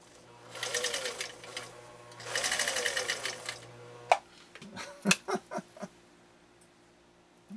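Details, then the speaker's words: 1955 Husqvarna Viking Type 21 Class 20 sewing machine (1.5 amp), restored, sewing a straight stitch with a presser-foot attachment on tricky-to-feed material: two fast bursts of rapid even whirring and stitching, steady speed, no grinding or clunks; normal running. "it gave me some really good stitching but this material is just really tricky to feed isn't it really tricky to feed"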